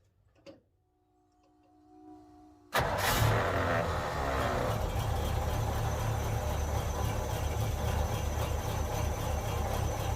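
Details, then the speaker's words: 1948 Ford F5 bus abandoned in a forest over 25 years, first start with a new custom exhaust and chrome tip: the engine catches at once and settles into a quiet, smooth, even idle with a soft exhaust note and no knocks; sounds healthy. "Woo! Oh, it's quiet. It's so quiet. Very nice, very nice."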